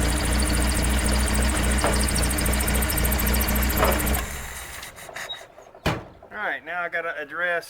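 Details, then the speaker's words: Rat rod engine running after coil wire refitted: runs evenly with a faint, shrill chirp at engine speed from the slack belt of the engine-driven air compressor; fix is tightening the belt and oiling the compressor. "belt squeaking. That's for my engine driven air compressor. I'm going to put a little oil in it, and yeah, the belt needs to be tightened up a little bit."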